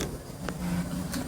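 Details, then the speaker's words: Large DIY 1200 x 1200 Sub33D V3 3D printer during a ghost (air) print, steppers at 1/16 microstepping with Y current turned down: steady motor hum with a couple of loose rattles left as the gantry moves; still needs tuning. "as you can probably hear, there's a couple of rattles left there. So it's still a bit of tuning, obviously, but sort of quite happy with it."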